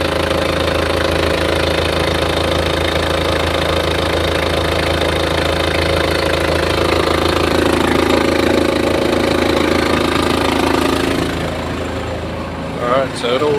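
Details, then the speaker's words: Toyota Hiace 1KZ-TE diesel with the repaired control unit refitted, which fixed the intermittent injector-pump ticking and no-start; steady diesel idle with even regular clatter and no extra ticking from the injector pump, healthy idle. "okay at the moment no tucking from the pump"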